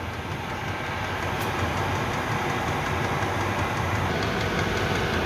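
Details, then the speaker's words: Chinese 5kW diesel heater on kerosene, 12V via transformer, 5 minutes after start, pump at 5.5 Hz, blowing real hot air: steady roaring burn with faint rapid fuel pump ticking; normal running at full power. "it's now been running for 5 minutes um from start on on start up um and it's now chucking out hot real hot air"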